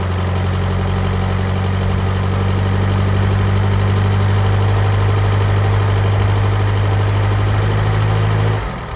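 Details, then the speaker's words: First start after fitting a Cobalt exhaust manifold and Racing Beat sport cat with MAF blanking plate: steady, even, smooth low idle with no knocks or misses, engine healthy. "I think you'll agree that she sounds absolutely amazing"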